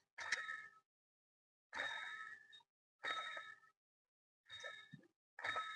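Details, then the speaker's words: Chevrolet Beat diesel, old water pump removed and spun by hand: short ringing, rough whirr that dies within a second; worn bearing with marked play that tilts under belt load and makes a clatter at start-up. "ഈ ഒരു sound ആണ് നമ്മൾ നല്ല രീതിയിൽ start ചെയ്യുമ്പോൾ കേൾക്കുന്ന means ബെൽറ്റിന്റെ load വരുമ്പോഴേക്കും ഇരു സൈഡിലോട്ട് ചരിയാൻ തുടങ്ങും"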